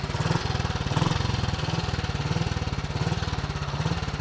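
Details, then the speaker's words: James motorcycle picked up at an autojumble, first start after several kicks and a tickle: a crisp, fast popping two-stroke beat settling into a steady, slightly uneven run, a bit smoky, running normally. "yes oh that sounds lovely bit smokey"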